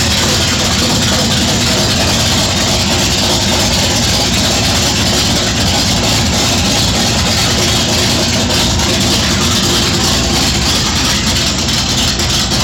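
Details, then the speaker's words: 1969 Plymouth Valiant with a 440 HP-block big-block V8 out of a '69 Charger R/T, built in the early 80s, with a replaced electronic ignition module: a loud, even rumble with a steady beat and no knocks, ticks or misses. Normal running. "So there you go. Thing sounds good. So in the article, per the article, and talking to the owner, the guy that built it back in the early 80s, this is a 440 out of a 69 Charger RT."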